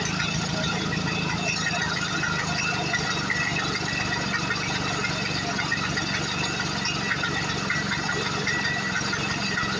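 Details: 1940s Frazer B1-7 rototiller, sat in a shed for years, first start after carb cleaner and oiled cylinder: even, steady two-stroke putter, regular low firing beat, no misses or knocks; normal running.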